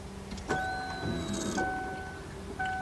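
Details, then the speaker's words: 2001 Lincoln LS 3.0 during fuel pump replacement: key-on steady electric hum that switches on, stops for a few seconds, then returns, a normal fuel pump prime; battery later found dead. "All right, that's the fuel pump coming on, and then it shut off for a few seconds."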